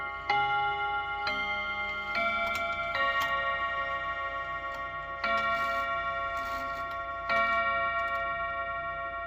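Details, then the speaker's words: Serviced chiming clock, hour strike test: chime melody in spaced groups of bell notes over slow ticking; with the hand on 1 it strikes 4, but strikes 2 at 2; owner suspects the seashell mechanism; hour strike miscount. "So actually what happened is I had it right. But for some reason, unbeknownst to me, when the hour is on the 1, it strikes 4 times."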